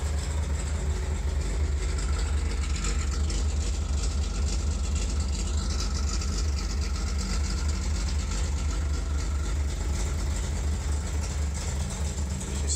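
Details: 1965 Chevrolet Corvair Monza 110 flat-six with 4-speed manual, mostly original, just started on choke: deep, even burble at cold idle with a steady beat and no misses or knocks; idling healthy.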